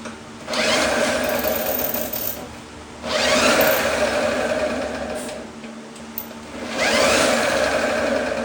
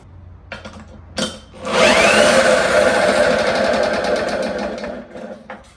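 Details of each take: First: 1954 Lawn-Boy RPM 8FH13LB two-stroke mower, dormant 50 years, first start after points and ultrasonic carb cleaning, temporary fuel tank: surges to a high buzzing race in bursts, won't settle; loose throttle leaks air, choke does nothing, engine runs away wide open. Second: Pull-start 1954 Lawn-Boy RPM 8FH13LB mower dormant 50 years, shroud missing, running on a known-good carb with a lever on the throttle: a couple of tugs, then it fires and runs with an even buzz for a few seconds before winding down; normal running.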